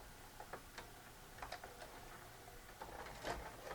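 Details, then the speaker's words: Magnavox MVR440MG-17 4-head mono VCR that eats tapes: it loads fine, then shuts down on play. Quiet irregular ticks and clicks as the mechanism hunts, not knowing its position. Mode select switch fault, needing cleaning. "let's hit play and see what happens nothing it shut down that's an indication of a mode select switch"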